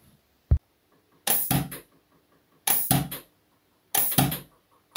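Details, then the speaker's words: Sparklabs Wolf HPA engine in airsoft gearbox at about 3 bar (45 psi), barrel intentionally misaligned: a short hiss then a sharp puff each shot, repeated three times; the nozzle seal is bad. "can hear hissing and then puff, which means that the seal is bad."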